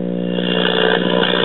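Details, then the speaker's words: 1968 Zenith Y114C AM tube radio (chassis 5M04), reassembled after filter capacitor replacement: steady low buzz in the speaker with volume turned down; turned up it distorts, and a gassy audio output tube is suspected (positive voltage on its control grid). "as you can hear with it turned down we have a good bit of hum in the speaker"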